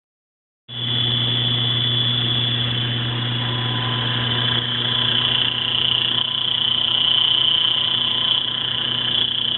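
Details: Failing opposite-drive-end bearing (believed 6309 ZZE), not yet fully failed, on a 3-phase 20 hp Baldor Super E motor run at 230 V, 1800 rpm: steady hum under a loud, harsh high-pitched hiss and whine.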